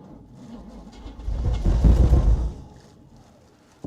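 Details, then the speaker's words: 1947 Chevy hot rod with a 350/TH350 that had sat for years, with fuel poured into the carb bowl: the starter drags the engine over sluggishly in heavy, uneven thumps for about a second. It is cranking slow and does not start. "we're in this hot rod man there's just spider webs freaking everywhere so it's cranking slow but we'll see what happens here"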